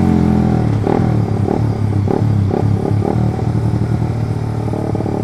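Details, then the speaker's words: Suzuki GSX with Pro Liner short aftermarket exhaust, test ride: loud exhaust with uneven stumbling pops at low revs; throttle opened but bike hesitates before pulling off the bottom. "jadi tarikannya Tuh Disini udah ngegas tapi di sini belum jalan"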